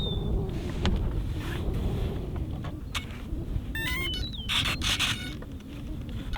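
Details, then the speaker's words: E-Flite UMX F-86 Sabre 30mm EDF jet on a 4S 450 battery, full-throttle low pass: thin high fan whine rising and falling over wind rumble, smooth steady power, healthy; doesn't scream like the Citation. "point of that pass was so you guys could hear that it doesn't quite scream like the Citation, if you've heard that one."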